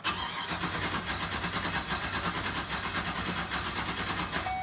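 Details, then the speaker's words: 2012 GMC Savana van, misfire complaint with P0300, cranking: beats in lopsided, galloping rhythm instead of even chug, one stroke dropping out each cycle; one cylinder with low or no compression. "This is a compression issue. Didn't we just do one of these? Yeah. Well, we'll do it. We'll go a little further, but listen again. Tune your ears to the cadence of this. This is not normal. They should not sound like this."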